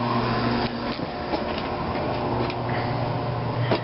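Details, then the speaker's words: Oil-fired hot water heater restarted after running out of oil and bleeding the fuel line; steady even roar of burner fan and flame with faint ticks, may sputter slightly from a little air left; holds lit, normal burner operation. "And you might see it sputter like this a bit, or you can hear that. I don't think you can hear it on camera. And that's alright, there's probably just a little bit of air still left in it."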